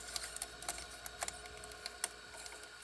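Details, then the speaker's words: 1978 RCA VBT200 VCR powered on with tape loaded: quiet, irregular crackly clicks and snaps over a faint motor hum as the tape passes through a roller. Tape crinkling in the transport, cause not yet found. "I think we might be able to see it crinkling the tape a little bit so I'm going to do that power it on okay sounds like it's starting to do it there we go now it's really doing it"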